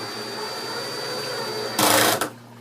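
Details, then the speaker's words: Power drill/driver on gear 2 with a low adjustable clutch setting, driving a short screw: steady motor whir, then rapid ratcheting clicks as the clutch slips before the screw is fully in; fix is raising the clutch setting. "Remember when I was talking about that adjustable clutch? That stopped spinning when it hit a certain resistance. It just so happens that my screw is not all the way in yet."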